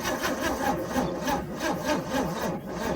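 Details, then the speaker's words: 1966 Chevy C10 parts truck, long parked, fuel pump left off and float needle suspected sticking: sluggish, laboring crank at about three compressions a second, fading without firing. Slow cranking from a weak battery. "as it sounds like that battery is starting to get a little weak"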